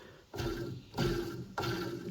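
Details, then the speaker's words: Craftsman riding mower with hydro transmission, idler pulley spun by hand: three short rough rumbling bursts, a dry gritty bearing noise; pulley worn and bearing noisy, repacking considered. "but this pulley shot and the bearing is noisy"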